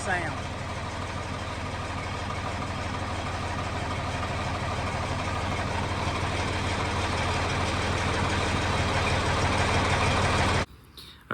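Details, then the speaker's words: 4230 tractor diesel after fan belt replacement and hydraulic drive coupler replacement, previous hammering noise gone; even idle with steady low chug, no knocking, normal idle. "you can see that tell the difference in how quiet that tractor is now"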